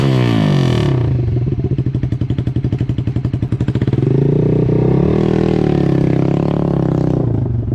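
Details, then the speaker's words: 2012 Honda CBR250R after tank cleaning and fuel pump replacement, first start and warming up: fuel pump primes, then a loud throbbing exhaust beat with slightly uneven pulses; idle sounds a little odd but judged fine. "okay it's making all the noises you want to hear the fuel pump priming and everything go let's go the idol does sound a tiny bit weird still but I don't think perfectly fine"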